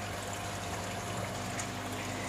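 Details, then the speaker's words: Small 40 W pump in the sump tank of a home RAS tilapia fish-farming system: a soft, steady low hum over gentle trickling water with no rattle. Normal, quiet running. "Jadi itulah bunyinya yang orang kata tidak kuat lah, sekadar bunyi macam macam tu je lah."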